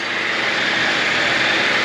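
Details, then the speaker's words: 2010–2014 Cadillac CTS after alternator replacement, on jack stands, check engine light gone off: engine idles with steady even hiss and whir, no knocks or squeals, normal. "We'll listen for any weird noises. It sounds good."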